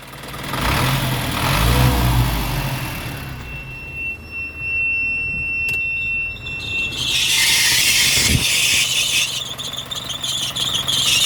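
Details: Isuzu Reward diesel with AC compressor engaged: thin steady high squeal from a noisy belt over the engine's low rumble.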